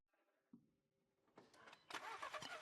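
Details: VW Golf 7 after a no-start repair: the ignition cable and pin had oxidized from water leaking from a damaged container, and no fault codes were stored; the cable was soldered and heat-shrunk. Now the starter cranks briefly and the engine catches cleanly to a steady run.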